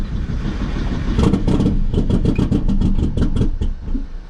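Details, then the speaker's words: Long-sitting 600 hp Phase 5 2005 Chevy Cobalt race car with fuel leaks, just fired after cranking, puffing big smoke. Ragged, uneven firing with irregular pops about four a second. Rough running; owner suspects a horrible tune. "Maybe it does have a horrible tune in it, so that's the problem. I don't know what it's set at right now."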